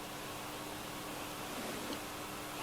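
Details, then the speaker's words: 1970s Bush VTR178 multiband radio, reported dead on mains, brought up slowly on variable supply past 90 V with no current draw: soft, even hiss with faint hum rises as it comes to life; normal. "so we're up to 90 volts nothing yeah no current draw oh I can hear the radio coming to"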